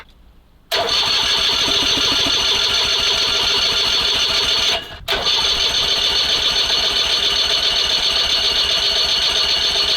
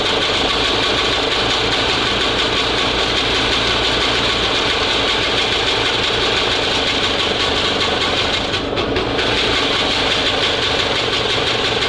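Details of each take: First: SMZ invalid carriage (motorized microcar) first start after long storage: steady cranking about three to four turns a second that never catches; spark plug found flooded, spark later checked good, ignition timing at TDC instead of 3–4 mm before. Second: SMZ invalid carriage two-stroke (motorized microcar) after long storage, timing reset about 2 mm before TDC: steady, busy buzz running evenly without dropouts; running normally, later stalls as fuel tap vibrates shut.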